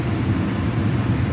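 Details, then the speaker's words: Carrier HVAC blower after rattling repair, cage refitted: steady, even low hum with no scraping or rattle, blower wheel spinning freely; normal blower operation, no sound now. "now it's working like a charm again [Music] no sound no nothing"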